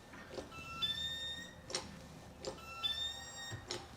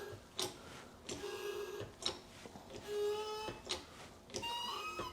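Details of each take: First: Mercedes 280 SE that wouldn't start, injector on a hand pump tester: sharp hiss-crack bursts about every second, uneven and sputtering; injector opens but sprays erratically. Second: Mercedes 280 SE that wouldn't start, injector on a tester: short buzzy hissing bursts about once a second over low pump hum, crisp and even; nice spray pattern, suspected main no-start cause.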